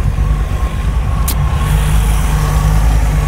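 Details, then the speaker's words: Rover V8 3.9L after distributor replacement, idle set to about 800 rpm and timing at 5 degrees: restarts into a deep, even burble with steady pulse, no misses or rattles; running smoothly. "so let's see if we can get this car cranked up again there we go that sounds pretty good"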